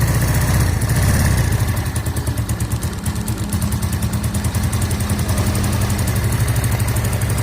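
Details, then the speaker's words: Yamaha Mio automatic scooter, long unserviced and stalling: idle found too low, uneven loping pulses about three a second that rise a little as the idle adjuster is turned up; low idle speed being corrected. "di sini langsung nya kekecilan kita coba setel langsam nya agak besaran"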